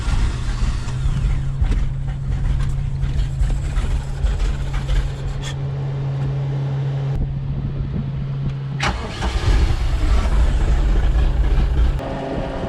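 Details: Bayliner Capri boat with a Mercruiser Alpha One 3.0L, troubleshot for a click-but-no-start starter relay fault: the engine cranks briefly, catches cleanly and settles into a smooth, steady idle with a low even hum. It starts and runs normally.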